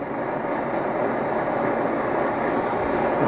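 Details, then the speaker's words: MSR XGK EX white-gas expedition stove, lit and burned a while to heat the fuel before turning up: steady, even rushing roar with no sputter or pulsing, burner running normally. "Now the key is to let this thing burn a bit before you crank the fuel all the way up, because otherwise it'll keep flaming up. So you really want the fuel hot. And you can hear it right now."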